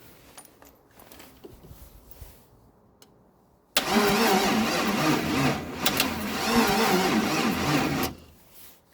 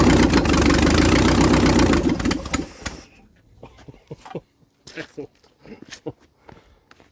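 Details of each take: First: 1956 International R180 first start attempt with a junkyard 454 V8: starter drags the engine over slowly for about four seconds without firing; battery charge and age unknown, suspected weak. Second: 1956 International R180 truck with junkyard 454 V8, first start: fires straight into a loud, steady open-exhaust roar for a few seconds, no smoke, seemingly hitting on all eight; healthy start.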